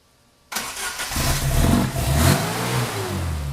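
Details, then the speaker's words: Opel GT Targa on a newly installed Weber 40 DCOE carburetor, first test fire before throttle linkage hooked up: cranks and catches straight away, revs cleanly and settles without stumbling; normal start and rev. "Oh, she's alive."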